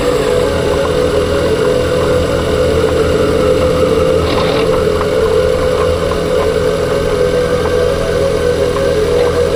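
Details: 2021 Ford Kuga PHEV at steady idle after a new clutch damper and flywheel were fitted: a constant mid-pitched whine over the engine note from the driveline, cause unconfirmed.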